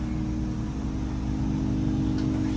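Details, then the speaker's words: Trane XV95 propane furnace after transformer replacement following a power surge from downed lines, cooling set to 55 with fan on auto; steady low hum and smooth blower drone, no knocks, system running again. "let's start to cool set at 55 fans on auto give it a second see if we hear anything and it turned on"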